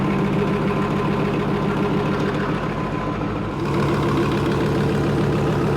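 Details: Leopard tank engine test-run on the stand after the fuel injector O-rings were replaced, checking fuel lines for leaks: deep even diesel idle, steady beat about three per second, no knock or stumble. Healthy, no leaks.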